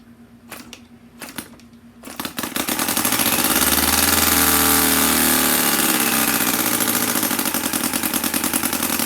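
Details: MUSA Hoglet V-twin model engine, cold start after sitting a couple of days, choked, about quarter throttle: a few prop flips, then catches cleanly into a fast, even, steady beat; normal cold start.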